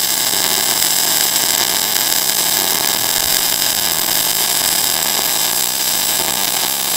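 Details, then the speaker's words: MIG short-circuit transfer, .035 wire, 90/10 shielding gas, running a small bead: steady, dense crackling hiss like frying bacon, normal arc. "you can listen to that and hear that and see how that sounds you hear that kind of crackling that bacon sound"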